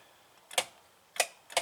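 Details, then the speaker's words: Yamaha golf cart turned on in forward, intermittent no-crank: three sharp dry solenoid clicks with no motor whir; solenoid already replaced, so the starter/generator is likely at fault. "all that's doing the solenoid is clicking they put a new solenoid on thinking that's what the problem was but you can hear it clicking but the motor is not doing anything"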